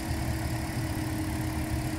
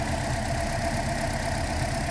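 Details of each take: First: 2012 Toyota Corolla after new coil on cylinder 3 and spark plugs torqued to 15 ft-lb: smooth, even idle with steady low hum, no stumbles; misfire fixed. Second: 2012 Toyota Corolla, running rough, P0300 with no cylinder code, unplugging coils at idle: uneven lumpy idle with irregular stumble; RPM change at coil 3, none at 4; failing ignition coil misfire.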